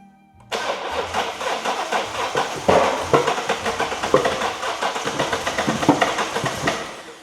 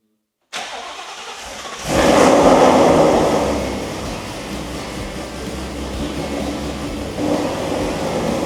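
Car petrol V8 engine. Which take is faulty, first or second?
first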